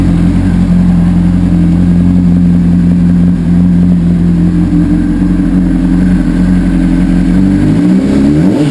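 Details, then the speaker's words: 2004 Honda CBR600RR, 21,000 miles on the chassis and 14,000 miles on the engine, run before the engine is pulled for part-out: smooth, even idle, then clean revving as the throttle opens, with no knocks or rattles; a healthy engine. "before I pull the engine this is what it sounds like this's 21,000 mil on the chassis and 14,000 Mi on the engine"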